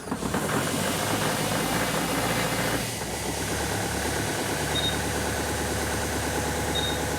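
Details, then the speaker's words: Compact tractor diesel cold start after glow-plug pre-heat: settles into a steady, even clatter with no misses or odd knocks, automatically raising rpm a little while cold; healthy start and idle. "um i found this to be smooth it didn't it it automatically raised the rpms a little bit until it"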